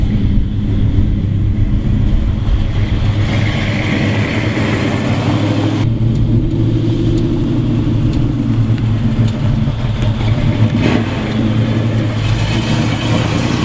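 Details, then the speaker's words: 1970 Chevelle V8 on its first test drive with Holley Terminator EFI replacing the 3310 carburetor. It pulls cleanly through the revs with a smooth exhaust note and sharp pickup. Throttle response is much crisper than with the carburetor, healthy acceleration. "The throttle response is a lot crisper than we had with that 3310 Holley, I mean it's unbelievable how much better the throttle response is."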